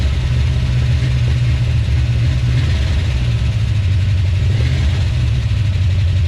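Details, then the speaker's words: 1970 340 Duster, first start: a low, rough idle with an irregular stumble. The engine is missing on a cylinder; owner suspects an old worn-out truck engine. "um so it is indeed missing you can hear it um that's probably just an old worn out truck engine who wouldn't thunk it"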